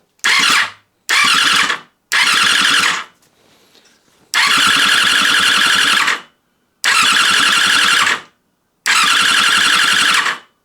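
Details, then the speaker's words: Yamaha FZ6 motorcycle after rebuild, fuel tank off, in neutral: six short bursts of quick even cranking that never catch; starter turning the engine over without fuel to build oil pressure. "it's obviously flashing for no fuel cuz we haven't got the fuel tank on so let's try and see if it will turn over"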